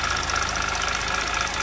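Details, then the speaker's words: 2011 Audi TT Quattro 2.0T TFSI at idle: quick, even light ticking with a faint sweep; owner suspects the vacuum pump, which vents into the crankcase, later replaced. "so the vacuum pump on this engine exhausts into the crankcase so that made me think it's maybe it's just a vacuum pump being noisy"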